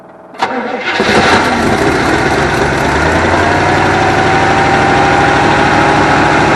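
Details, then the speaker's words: 1974 Avanti V8, first start after long storage, January day: sharp crank, fires and settles into a fast, slightly uneven run on all eight cylinders; rough but running, won't hold idle yet. "it seems to be running around all eight cylinders which is good uh it's going to take some running off and on to get this thing back to where it's going to run in idle"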